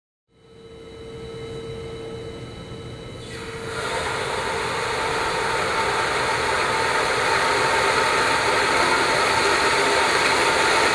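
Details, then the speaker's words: Clear-pipe flow rig with a ball valve installed backwards and an outlet valve supplying back pressure, at a low pressure drop: a smooth, even rushing hiss that swells as flow rises, with no crackling. Normal turbulent flow noise, no cavitation. "First off we're going to show you just some basic turbulent flow noise."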